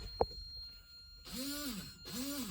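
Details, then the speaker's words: 1984 Mazda RX7 GSL-SE, key on, testing rear windshield wiper: a click then two electric motor whirs rising and falling in pitch; owner thinks it's the rear wiper motor, suspects a mechanical rather than electrical issue, unsure. "You guys hear that? I think that's the motor of the rear windshield wiper."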